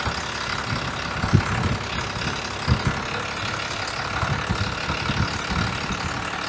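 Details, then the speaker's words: 1993 Dodge W250 Cummins 5.9L 6BT diesel, manual transmission, after refilling coolant and oil; slow uneven clatter with soft knocks about every 1.5 s; idle was about 650 rpm, turned up but still below the specified 750 rpm. "All right, that's turned it up some. The manual says 750 is the number for the manual transmission. We're still a little low."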